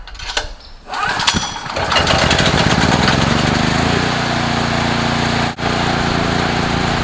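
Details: Several-years-old Generac recoil-start portable generator, sitting for months, 89-octane fuel with Stabil 360, new spark plug, cold start on choke: after many pulls the engine catches and settles into a steady, even run; chronic hard cold starting.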